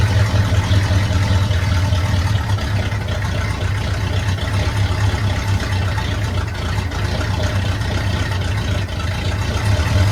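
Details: 1972 Chevrolet C10 small-block V8, warm start, carburetor rebuilt, air cleaner refitted, timing set by ear: steady, even low rumble at idle with no misses or knocks; normal idle.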